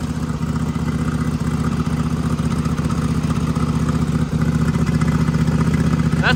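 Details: Small engine on a mud mower with an oil-packed turbo, restarted after a turbo oil change and a fuel-pressure hiccup. Steady, even putter holding speed without stumbling or dying; running properly, no leaks.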